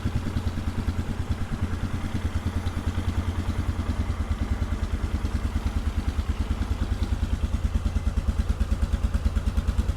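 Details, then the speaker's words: 1997 Polaris Sportsman 500 single-cylinder, choke off, idle freshly set: a steady, even thump of about three beats a second with no misses; clean normal idle, though it falters when the throttle is touched. "the exhaust like I said this thing sounds fantastic at idle"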